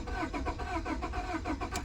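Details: 2002 Honda Accord, repossessed, crank-no-start; starter cranks at an even quick rhythm, about eight compression beats in two seconds, but the engine never catches; immobilizer key not registered, security light on.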